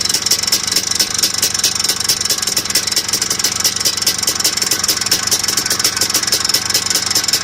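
Steady idle with a sharp, even tick-knock, roughly six a second, sitting over the engine; a knock whose cause can't be pinned down. Cause suspected, not confirmed.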